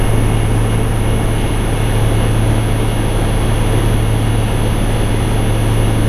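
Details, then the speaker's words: Infinity variable-speed A/C condensing unit outdoors in the yard, ramped from stage 1 to stage 5 (highest capacity): loud, constant low hum with fan rush, no rattles or clunks; normal running at full speed. "So that's on its 5th stage. That's about as high as it is going to get."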